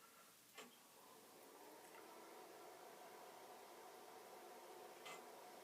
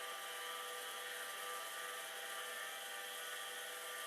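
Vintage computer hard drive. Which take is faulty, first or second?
second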